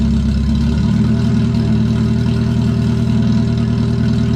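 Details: Mazda Miata idling with the exhaust running open without its cat-back muffler, before the new exhaust install: loud, raspy, blatty drone filling the space, sounding like a dying lawnmower.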